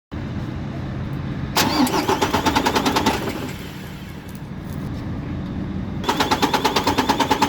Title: Mercedes Actros mp2 engine hard starting fault next looking video more experience